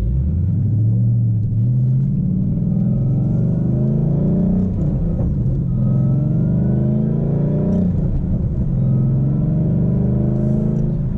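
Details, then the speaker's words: 2012 Ford Mustang Boss 302, MT82 manual, stock tune, cold weather after two weeks parked; hard first-gear pull, thin whine climbing with rpm under load, owner says definitely transmission, hopes it's the harmless MT82 whine some run 30,000 miles with. "hear the whining it goes up with rpm so it's definitely a transmission issue"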